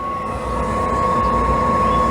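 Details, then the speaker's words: Travel-trailer RV propane burner lit after the RV sat unused for a couple of years: steady even roar like a miniature jet, constant high tone with no surging or popping; burning normally, and the exhaust smells fine. "can you hear it sounds like a little miniature jet engine sounds good we'll let it run for just a minute or so"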